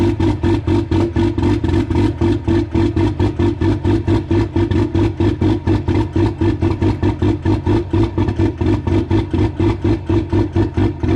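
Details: Old Cummins diesel started at -1° with no grid heaters and no block heater: cold clattering with strong uneven pulsing lope, about two beats a second, running hard just after start; still too cold to start cleanly without heaters.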